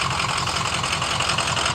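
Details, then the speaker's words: Old diesel bus that had sat for years, running after its starting problems: even, steady diesel clatter at idle with no misses or surging. Normal idle. "the cowling on it's actually running well yeah and if I remember right this thing had been sitting for years"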